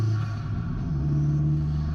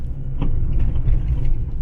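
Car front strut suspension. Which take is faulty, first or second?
second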